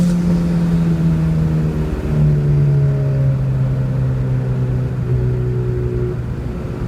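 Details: Nissan Sentra with SR20VET swap, under load: smooth even drone settling through the shift, no surging; boost holds a steady 9 psi, no longer fluctuating between 6 and 9.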